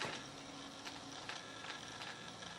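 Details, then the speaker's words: FMS F4U Corsair RC plane after gear-up belly landing, damaged main gear doors: servo gives faint steady buzz with fine rapid ticking, binding as displaced gear door control shaft pulls on the door. "and if you can hear that noise this Servo over here making some noise now I'm pushing and pulling just a little bit on the flaps and then on the aileron just to make sure that's not it but I think this Servo here has got something that's binding up on it pulling out on the flap door a little bit"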